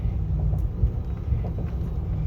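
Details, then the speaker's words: 2011 Nissan Armada V8 at idle with stock intake, before installing a K&N cold air intake during a spark plug tune-up; deep, steady, even burble with no knocks or ticks: normal idle. "sounds pretty good but let's see what it sounds like after i do the intake system"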